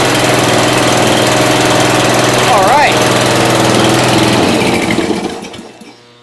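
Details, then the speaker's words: 1992 Yard King lawn tractor (small deck, gear-drive transmission), small single-cylinder engine on choke and part throttle on a cold snowy day, catches and runs at a fast, fairly steady beat for the first time in about 7 years, then dies away. "we have life that's good it's got a warm-up I mean this is the first time this thing's running like seven years but uh six or seven years probably"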